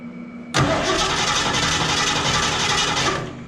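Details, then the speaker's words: 1969 Mercury Cougar V8 on its first start after long storage, with varnish in the fuel system: fires and runs under three seconds with a lumpy, irregular beat before shutting off; the owner hopes it will pull fuel from the tank. "all right that's enough for that rough man all right we'll put her back hopefully she'll pull some gas out of that tank"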